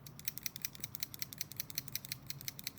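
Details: Kershaw Knockout Speedsafe folding knife in Elmax, shaken while locked open: quick bright metallic ticks about three a second, no rattle when closed, no blade play; torsion bar suspected; blade rattle when locked open.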